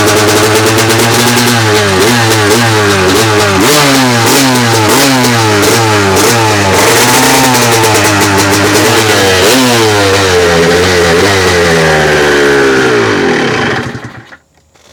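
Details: 2002 Honda CR250 two-stroke, first start after top-end rebuild with new Vertex piston kit and honed cylinder, choked on warm day: crisp ring-ding rising and falling with each throttle blip, clean pickup, then cuts out; healthy, though coolant leaking from overflow.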